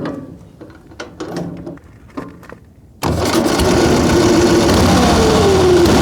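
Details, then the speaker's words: Excelsior motorcycle first started in 3.5 years on an electric starter fires after some clatter and runs loud and lumpy, as if on one cylinder; its spark plugs came out wet. "Sounds like it's running on one cylinder."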